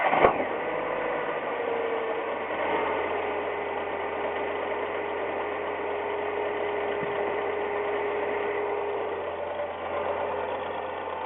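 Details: Semi-new Ford Ka, 10,100 km, first owner, recommended oil: quick light tek-tek ticking over a steady idle, present for six months and only when the engine is cold; mechanics disagree on the cause.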